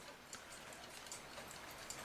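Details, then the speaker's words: Forestville alarm clock, rusted and previously wound but not ticking, after movement removed and oiled: light, even ticks about four or five a second, running fine for days; normal ticking. "otherwise this thing seems to be ticking away just fine it's been a few days now and I guess I'm happy with it"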